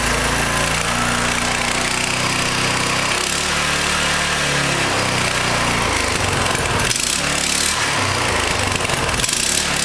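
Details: Coleman CT200U mini bike Honda GX200-clone engine with new 3/4" GX200 crankshaft, chain not connected: loud even single-cylinder buzz, small speed swings, no knocks or rattles; running normally.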